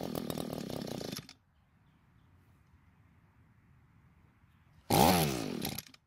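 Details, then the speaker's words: Echo GT200R two-stroke trimmer buzzes briefly then cuts out; a second attempt fires for under a second and dies. It keeps running when choked, so it is suspected to need richer carburettor tuning, not confirmed. "now the good news is that it starts and runs but the bad news is it doesn't want to stay running"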